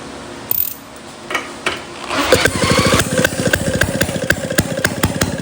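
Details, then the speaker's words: 1937 Maytag Model 92 single-cylinder two-stroke, re-primed with the setting moved to open: irregular popping after false catches, then a fast uneven putt-putt about three to four times a second; engine runs, shaking on its dolly. "Yeah, the engine runs. But now it was kind of walking itself off of that little dolly that I've got."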